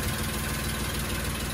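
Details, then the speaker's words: Daimler limousine petrol engine, parked since 1990, first run in 32 years, on old carburetor gaskets: short burst of steady, even idle with no stumbles or misses, probably burning old gas through; idling cleanly. "it started and it's running. Well, it is running. It's probably working some old gas through."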